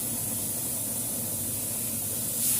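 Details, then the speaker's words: Newly replaced compressor in a non-cooling freezer box, test-run before connecting the filter dryer: constant hiss of air from the open line over a steady motor hum, no knocking; compressor pumping normally. "dan di sini mesin kompresor sudah hidup ya Ada hembusan udara yang keluar pada filter mantap Ini artinya ya jadi sudah tidak ada masalah normal semua"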